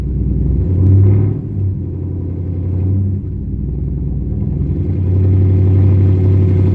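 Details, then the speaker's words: 2012 Mustang GT V8 on cold start before plugs, coil packs, O2 sensor and MAF replacement: deep idle swelling and sagging with stumbling misfires, hunting; holding idle higher with the throttle stops it; owner believes the new parts will fix it. "So, as you can see, that was my issue to where it was just absolutely like it was bad. Like, you could tell."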